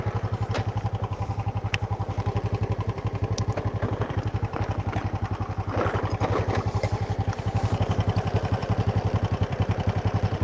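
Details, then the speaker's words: Supra motorcycle idling after repeated cam chain and bushing replacement: fairly even beat with dry rattling and odd clacks, rough as if something loose; engine bearing area suspected, also throttle hesitation, chain and sprockets too loose. "Dan suara bantalan mesin terdengar seperti suara gemerisik, gemerisik, gemerisik ."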